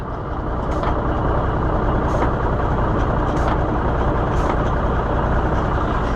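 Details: Ford L9000 semi with Cummins diesel, after fixing a stuck two-speed shifter: low even idle with short clean air hisses as the range is shifted; air range shift now working.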